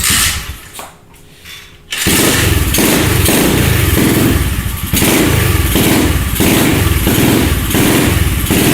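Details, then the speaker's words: SSR 125 pit bike after the blocked pilot jet was cleared with a wire: engine catches and holds a steady single-cylinder putter of about four beats a second, idling cleanly with the choke off; normal idle. "so now the bike's idling with the choke off this thing is have some power like it used to"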